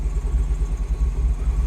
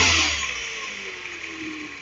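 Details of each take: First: 2009 Mini Cooper R56 John Cooper Works, N14 engine, started after battery regeneration: idle surges and dips unevenly with no throttle input, a lumpy hunting beat; rough idle suspected from a faulty VANOS solenoid, starting better than before. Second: 2009 Mini R56 JCW N14 engine just after VANOS solenoid replacement, chilly day: brief rev blip settles to a smooth, even run, only the slight rattle typical of these engines, no stumbles; normal running.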